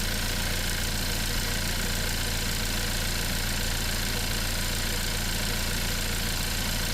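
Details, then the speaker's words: Hyundai Tucson (2019/2020), 102,000 km, rattling and power loss on acceleration, hood open: loud steady rushing hiss at turbo intake over uneven rumble; turbocharger shaft off balance and shaking, found to be a busted turbo. "So the tobo is off balance and causing it to stick and that is exactly what's causing the vehicle to act up and lose power."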